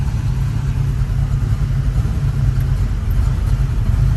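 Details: Restored 1967 Ford Mustang, rebuilt 289 V8 with fresh aluminum intake, C4 automatic, dual exhaust, 51,385 miles: deep, steady, even burble at idle with no misses, knocks or ticks; healthy idle.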